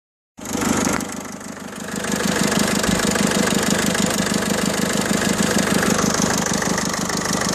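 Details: 2007 Peugeot 307 estate 1.6 HDi 90 diesel with DPF: after starting, settles into an uneven, buzzy, lawnmower-like chatter at idle; abnormal engine noise, cause unknown.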